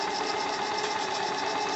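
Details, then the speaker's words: AL5 live-steam model engine after about one hour break-in, running slowly at reduced pressure: quick even chuffing about eight puffs a second with steady hiss over burner; steam escaping past leaking piston rod glands, puddle forming. "Alors vous entendez toujours le tchou-tchouf et vous voyez toujours ici la flaque d'eau qui se crée. C'est pas grave."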